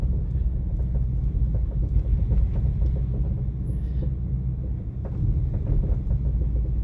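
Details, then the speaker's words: 2017 Ford Mustang S550 GT driving: irregular light clunks and rattles over road rumble from BMR rear toe rod ends, a bad batch; fixed with updated replacement rod ends. "Oh yeah, that noise. Oh man, it's so scary. Is still coming from the tow rods."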